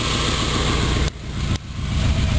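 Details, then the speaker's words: 1976 Corvette V8 petrol engine at warm idle just after carburetor readjustment and new fuel tank: low, steady, deep even rumble, idling lower than before instead of hunting. "I just readjusted the carburetor and um it sounded pretty good it was kind of walking around a little bit but now that I readjusted it it sounds good and it's actually idled down lower than it was just a few minutes ago"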